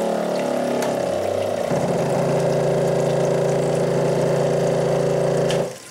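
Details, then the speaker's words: Grizzly G0704 CNC mill spindle motor under LinuxCNC: cutting hum turns to a strained, droning buzz as the spindle dies and binds, then cuts out when the power strip overloads; motor burned out, smoking, end mill ruined. "you'll hear right when the motor dies and then a few seconds later after everything's bound up nice and hard and Linux CNC is still trying to go then there's a click and that's my power strip overloading and finally shutting everything down"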